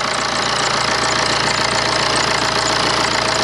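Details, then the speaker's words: BMW 123d N47 four-cylinder diesel at first start after injector seal and valve cover gasket replacement: an even, steady clatter at idle with no misses or odd knocks, and no diesel leaks. Normal idle. "it's running as well as i would expect a uh you know a four banger diesel to uh to run anyway"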